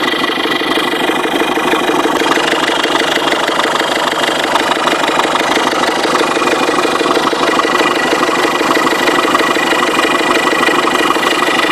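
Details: 2005 Ford Fiesta 1.6 TDCI diesel at idle: sharp regular knocking about three times a second, keeping time with the engine and getting faster on acceleration, started suddenly; source unknown.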